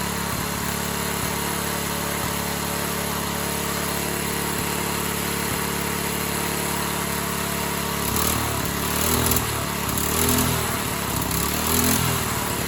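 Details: Free Briggs & Stratton 3.5hp edger engine, model 091202, with carb issues (stripped bottom carb screw fell out): runs steadily with an even buzzy firing rhythm, no misses or surges; normal running as it stands.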